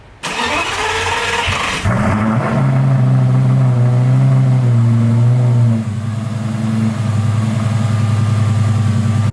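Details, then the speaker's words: Lamborghini Gallardo after an oil change with 10 quarts of Castrol 540 Edge, after three priming cranks: brief crank, engine catches cleanly, flares and settles into a steady even idle; healthy start-up. "Once the engine oil's in, you're all ready to fire. Now, I usually crank it to fire 3 times just to prime the system."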